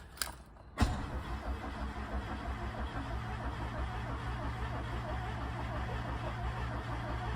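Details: VW MK2 Golf GTI 16v, unused for about six weeks, on a fresh battery after immobilizer trouble, fuel level unknown with no gauge reading. Keys rattle, then the starter churns steadily for about seven seconds with no firing. Cranks but will not start.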